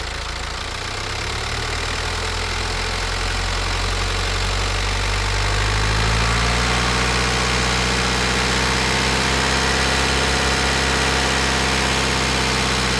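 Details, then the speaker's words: Diesel with piezoelectric injectors, warmed to 87°C and held at 1500–2000 rpm, microphone placed at the engine: a fast, even tick rising with engine speed over a smooth drone, timed with rpm; normal injector sound. "इंजेक्टरों की आवाज़ का समय इंजन की गति के साथ मेल खाता है, जो बिल्कुल सही है।"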